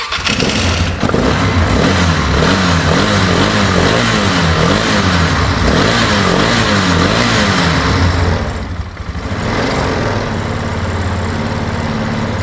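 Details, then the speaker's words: 2008 Polaris Ranger 500 UTV on a rigged-up, shot battery; owner hopes running it hard will clear it out, cause unconfirmed. Uneven idle surging and sagging in a wavering rhythm, nearly dies around eight seconds, then catches and keeps stumbling. Rough idle. "I think we need to get a good battery on here to go any further. I don't really feel like trying to troubleshoot it with it being all rigged like this, because it kind of feels like if I could take this out there and just open it up, let it rip, that it will clear it out and be good to go."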